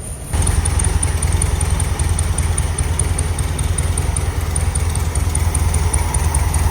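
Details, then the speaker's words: Air-cooled VW Bug idling after flipped spark plug wires were corrected: steady, even low rumble with no misses or stumbles, choke operating properly; smooth, healthy idle. "Running well enough right now. Choke's operating properly."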